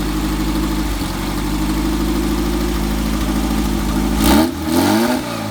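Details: Red buggy engine, just got running after turn-signal wiring was finished: steady, even idle with a clean low beat, then two smooth throttle blips rising and falling; running healthy.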